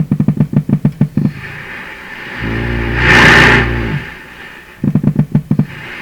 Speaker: okay here we go usual setting first first click from off we get that motorboating and we get the oscillation